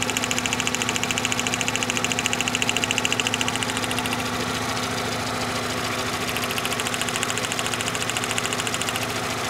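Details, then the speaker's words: 2012 VW Jetta GL 2.0L with P0300/P0301 misfires, rough running; crisp even snapping spark jumping about an inch gap at idle; strong spark, cylinder 1 fault traced to faulty ignition wire. "you do see a nice strong spark that's able to reach uh about an inch of Gap there you go hope the camera can pick it up it's a nice strong Spark"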